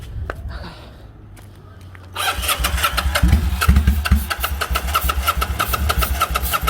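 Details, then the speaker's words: Kawasaki Vulcan 800 first start with the fuel petcock switched between reserve and prime; cranks two seconds, catches, then pops and stumbles unevenly about two beats a second, seemingly starved of fuel: starts then runs roughly. "Now it sounds like it's not getting none, right? Yeah. Hold on, maybe. That joint sounded good though for a second. Thought she was ready to go."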